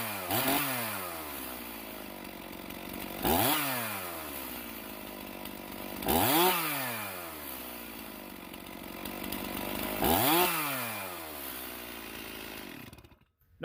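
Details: Stihl MS391 chainsaw after the carburetor was cleaned and the sticking throttle shaft freed: four crisp blips, each rising fast and dropping straight back to idle with no stumble off idle, healthy throttle response.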